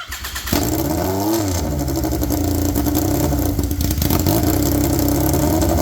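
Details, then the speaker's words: Polaris RZR XP with swapped Yamaha Nytro triple, straight-piped, restarted after clutch setup: catches and revs loud, then settles to a raspy slightly uneven idle; owner thinks idle needs setting. "let's try her again so I'm trying my I think we just got to set the idle a little bit all"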